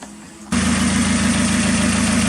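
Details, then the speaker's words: Mazda Miata NB first start after head gasket replacement: fires up at once and drops into a smooth, steady idle with an even beat, no ticking or knocking; healthy. "Got it running. Satisfied customer over here."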